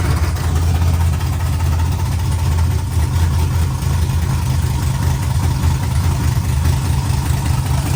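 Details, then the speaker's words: LS-swapped 4x4 Cadillac burnout car, first cold start after wiring and plumbing work: deep, steady V8 idle with an even, unbroken beat, no knocks or misses; healthy cold-start idle. "gotta get on the road do a little cold start on this thing"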